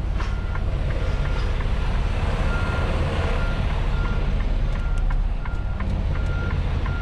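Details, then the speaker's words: Tractor-trailer reversing toward a loading dock, tandems slid all the way back, steering cranked fully: even high-pitched beeps about twice a second over a rumbling diesel; reverse warning beeper operating normally. "I'm going to crank it all the way this way sorry about the beeping"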